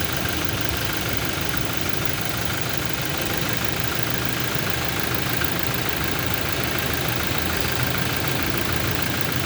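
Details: Toyota Innova idling during mechanical engine diagnosis: faint rapid tapping, roughly three per second, over the engine note; internal engine knock, source not yet pinned down.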